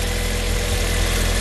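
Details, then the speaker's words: 1988 Honda Accord idling after rebuilt 1992 GSR cable transmission installed: short steady idle, even low thrum, no knocks or misses; runs smoothly and sounds a lot better. "shiny sounds a lot better"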